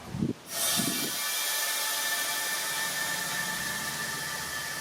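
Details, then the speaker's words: Vevor 5-ton (11,000 lb) air bag jack cranked again to lift a vehicle corner, a wheel right off the ground; a sharp burst of air, then a steady, even hiss as it rises quickly and easily with no straining. "look it's doing that easily it's not trying too hard it's fairly quick and that Wheels right off the ground"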